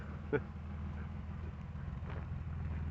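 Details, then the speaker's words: 1985 BMW 633 CSi, first start and driveway drive after sitting a long time: low, even engine rumble with steady beat, no knocks or ticks; running good, though the owner notes funny noises while driving, thinks it needs running in. "it's running good. Sounds nice. Makes some funny noises when I'm driving it, but I think it just needs to run in a bit."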